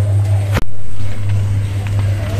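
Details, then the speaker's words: Whirlpool top-load washing machine after a pulsator repair for banging noise, bearing sound and a water leak, running empty without load: a smooth, steady low hum with no rattle or grinding. It spins evenly; the repair succeeded. "ആ പടപടാന്നുള്ള നോയ്സും ബെയറിങ്ങിൻ്റെ സൗണ്ടും എല്ലാം മാറിയിട്ടുണ്ട്. നമ്മുടെ machine കറങ്ങാൻ തുടങ്ങി. സൗണ്ടുകളൊന്നുമില്ല."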